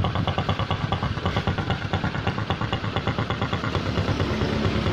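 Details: Honda Supra X125 after fixing the cracked head breather hose that had caused a snoring, rough sound. The small single idles with a smooth, regular putter of about three beats a second and no rough rumble; normal idle.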